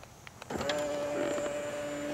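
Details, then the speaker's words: Tesla Model X middle-row seat moving normally with its pedestal, without the loud spring-loaded clunk at end of travel seen elsewhere: steady, even motor hum with no clunks or catches; normal power seat movement. "see that it's moving along with the pedestal so it doesn't have that a spring-loaded action at the end of the movement like you do on the driver's side"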